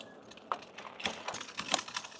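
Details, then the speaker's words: Victrip Titan e-bike riding after a crash: light, irregular clicks and rattles come and go over a quiet ride, with no motor drone; the large battery rattles in its mount. "listen to the noise. This is one reason I'm talking about this bike. You can hear the battery. It's so big, and it is so rattly."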